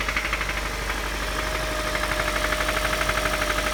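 A rhythmic knock, roughly two or three beats a second, thumps through the idle; a spun rod bearing on number one cylinder.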